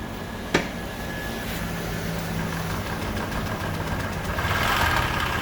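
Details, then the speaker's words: Honda Vario scooter that ran out of radiator coolant and was left very low on oil, idling before engine teardown: rough idle with a steady rapid ticking knock, three to four a second; engine knocking from oil starvation. "jadi suara keletak-ketaknya itu bisa didengar sendiri inilah efek kalau udah pernah kehabisan oli dan apa namanya mengakibatkan mesin jadi bunyinya kasar seperti itu"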